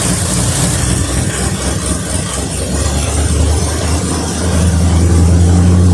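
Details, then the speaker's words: 1973 Mercury Cougar XR7 with 351 Cleveland two-barrel V8, idling on a fuel mix poured into the carb before an oil change flush, getting a little warm. Steady, even low rumble with no miss or tapping; runs much better than before. Normal idle. "definitely it runs and sounds a whole lot better than what it used to so I'm glad that I put that all in there to kind of flush it out"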